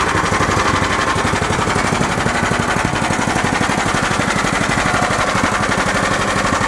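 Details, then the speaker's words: Club Car golf cart after engine swap, ARC governor bypass throttle plate, K&N cone filter, Comet 94C clutch, cold start idling about 1200 rpm: choppy single-cylinder beat with about four clatters a second; slight exhaust rattle, considered acceptable. "Exhaust does rattle a little bit, but that's all right."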